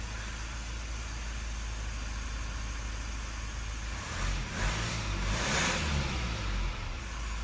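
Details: Mazda 3 diesel after a P258B brake fault repair, during a full code scan: steady low idle with an even rumble and a brief smooth rise in the middle; running cleanly, nothing abnormal.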